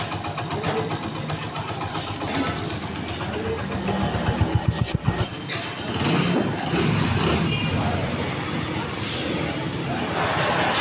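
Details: Honda Pridor single at idle after head/cylinder overhaul, piston rings replaced for engine noise, oil loss and smoke; catches then settles into an even quick putter, about four beats a second, no knock or tappet clatter; healthy.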